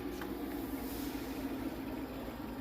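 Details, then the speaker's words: New Whirlpool fridge in a rental, reassembled after fan repositioning (mounted closer and tighter to reduce wobble): a steady, even low whir from the condenser fan with only a faint light rattle; normal and acceptable. "the noise it's supposed to make. This. Light rattle. Not bad. Good enough."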